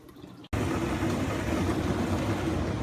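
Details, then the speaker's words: Frigidaire dishwasher after replacing the circulation pump (154844101/154844301), no leaks; powerful, steady motor hum with water rushing and sloshing, no grinding or squeal, normal circulation pump operation. "that sounds powerful. Ooh, I think we got it. Thing is humming."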